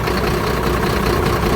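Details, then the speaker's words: Mercedes truck diesel at idle during a scan-tool cylinder cut-out test; rough, lumpy uneven beat, with no change when cylinder 4 is cut. Cylinders four and six are not working; dead-cylinder misfire, fault code on the cylinder 4 unit pump. "That's That's really rough because there's actually two cylinders not working, which is number four and number six."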